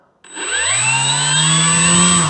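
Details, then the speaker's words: Arrows Husky Ultimate 1.8 m electric RC plane on 6S, throttle test after disarming the throttle cut: clean whine climbs smoothly to a steady high pitch without stutter or rattle; motor and speed controller healthy with plenty of power. "let's have power throttle cuts on and retested okay so we have tons of power"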